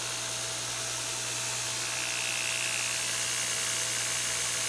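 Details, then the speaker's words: Newly wired electric motor on knife grinder, powered from shed (lights dim from draw): loud steady high whir with constant hum, no wobble or grinding; runs smoothly. "There she goes. Everything is running very nice and smooth, nice and loud."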